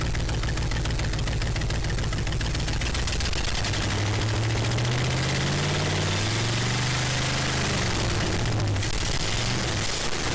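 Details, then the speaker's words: 1967 Ford Galaxie 500 four-door V8, first start after long sitting (last run maybe 2019), tank drained, new gas, new fuel line, coil jumped, new battery, carb uncleaned: loud rough idle with sharp irregular puffing and popping over blips; really bad exhaust leak. "really bad exhaust L uh but it starts right up"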